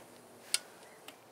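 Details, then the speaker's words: 1980s BMW E24 6-Series CSi, manual, parked since 2001, immobilizer light on, fuel pump primed; a few sharp light clicks with no starter cranking; immobilizer suspected, not confirmed. "yeah so is that just that yes so that's on crank yeah and there's no crank so I suspect the mobilizers"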